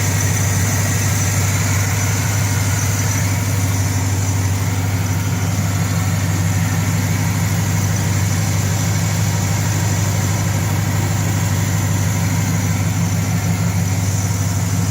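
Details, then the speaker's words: Engine after sealing a front exhaust leak: smooth, even idle with steady low drone, no puffing or ticking from the front; leak fixed, normal idle. "No exhaust leak in the front. Sealing up."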